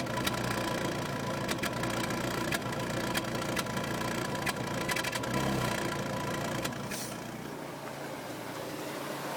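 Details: Peugeot 206 GTi 2.0 idling with uneven stumble, sharp irregular ticks and dropouts; misfire resolved with new coil pack and spark plugs.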